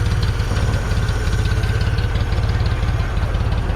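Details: 1974 Ford 3550 industrial tractor, sat 18 years, after freeing stuck PTO shutoff switches and fitting the shaft: even low chugging at about three beats a second, steady and unbroken with no knock or miss; idles well.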